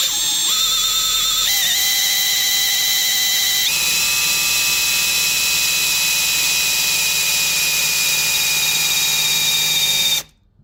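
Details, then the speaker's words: YB engine for a Mk1 Escort, rebuilt after its oil pump pressure relief valve stuck: a drill whine climbs in steps, then holds steady while priming the oil pump before first start; pressure reaches over 4 bar, approaching 5. "well that's a bloody success in it well over four bar approaching five bar which is uh well that's awesome"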